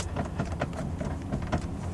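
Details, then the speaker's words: 2024 Toyota Tundra 1794 i-FORCE MAX: irregular dry creaks and plastic ticks each time the centre console lid is pressed, over a quiet cabin. Loose console trim rubbing, an issue also seen on the owner's 2022 Tundra SR5, plus plastic-on-plastic creaks at the door. "now it's not horrible cuz mine was making some really bad Creeks however you could just hear some Creeks there also over here on the door where there's plastic hitting plastic"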